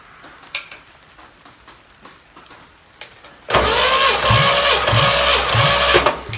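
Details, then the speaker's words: Used 283 V8 on the shop floor, primed, compression about 110–120 psi, plugs slightly rich-black: quiet cranking, then catches and settles to a smooth, even idle with no knocks or misses; runs healthy. "this this sounds real good it's smooth as can be I mean it idles beautifully"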